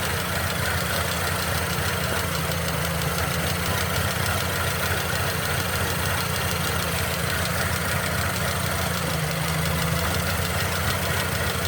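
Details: Mercedes-Benz M271 1.8 CGI Kompressor engine at steady idle: even low drone with a light, rapid tapping on top; abnormal engine noise, cause unknown.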